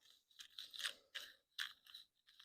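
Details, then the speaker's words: Farmall H transmission/differential ball bearing removed from its shaft and spun by hand: gritty crunching bursts, no smooth whirr, with noticeable play. Rough, worn ball bearing. "man you can really hear the roughness in it man you can feel the play"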